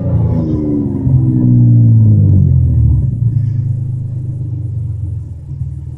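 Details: Toyota Camry revved from idle to 5000 rpm and back: smooth rise and fall with a raspy, rumbling edge from an exhaust leak, exaggerated by the phone mic; the engine otherwise runs smooth and strong.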